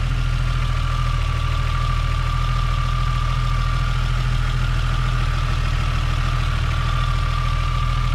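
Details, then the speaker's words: Toyota Supra Mk3 7MGE turbo conversion after switching from distributor to 2JZ/IS300 coils with stock 7MGTE igniter; starts fine, tach not working; steady low rumble, faint steady whine, no stumbles: normal idle. "up so it starts fine just like when it had a distributor the only thing is the tack doesn't work"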